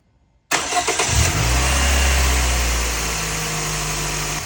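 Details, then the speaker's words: Petrol engine cranks, catches and settles into smooth, even idle after replacing a faulty ignition coil that caused a misfire; plugs already replaced, no shaking now. "and wow what a difference it's running really smooth look it's not even shaking"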